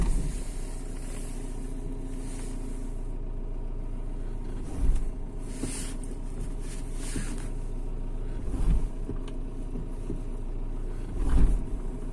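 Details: Mitsubishi Shogun 3.2 diesel: steady low diesel rumble with dull, heavy thumps about every three to four seconds; intermittent clunk of unknown origin.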